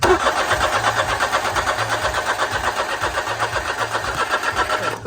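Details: 2009 Smart Fortwo 451 cabriolet, cold hard start: steady starter cranking around 160 compressions a minute, engine never catches; gauge teed into injector rail shows about 30 psi versus roughly 50 psi expected, low fuel pressure, weak fuel pump suspected.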